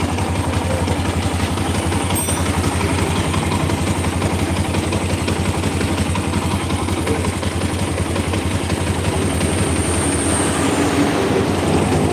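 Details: Rough-running single with an uneven tek-tek mechanical ticking about three per second over the engine note; cause unconfirmed, engine then opened with possibly stripped bolt holes found, engine ticking noise.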